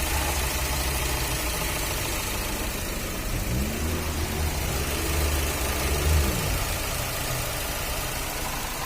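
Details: Fiat Uno 1.4 Evo Fire after cylinder head replacement, oil pressure about 3 bar: steady low idle with a short rev blip and back down, no knock or tapping; engine sounds healthy, normal idle.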